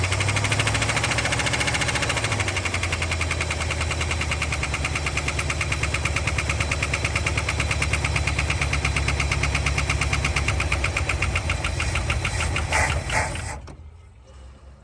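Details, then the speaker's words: 1960 Chrysler Saratoga V8 first running after 39 years since a crash: rough idle with a light, steady tick about three times a second on top; ticky lifter, oil heard moving. "now little Ticky just a little oh the bugs are scattering yes you got takey lifter at least"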